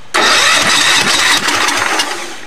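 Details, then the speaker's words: Allis-Chalmers tractor after engine swap, engine freed after being locked from sitting; cranks hard with an even raspy churn but never fires; carburetor suspected. "very promising it's trying it's trying really hard could be that carburetor"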